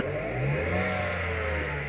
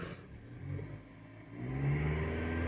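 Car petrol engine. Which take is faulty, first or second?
first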